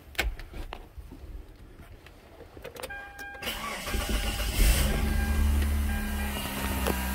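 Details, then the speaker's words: Mitsubishi Galant 2.4 four-cylinder, little-old-lady owned and parked a while, first start after timing belt, water pump and valve cover gasket replacement, accessory belts off, no coolant: brief crank, quick catch, smooth even idle with no knocks; timing belt quiet. "we go she sounds good now we're not going to leave it running because we don't have belts and we don't have any coolant in it so this sounds nice the time belt is nice and quiet"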